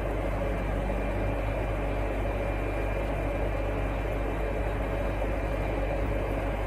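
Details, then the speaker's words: Windows 98 retro PC with Athlon XP 2200+ and Asus A7N8X-X board: power supply fan gives a steady, unchanging loud roar over a low hum; PSU far too noisy, to be replaced with a quieter one. "J'ai également un petit souci avec l'alimentation, elle est vraiment, vraiment bruyante."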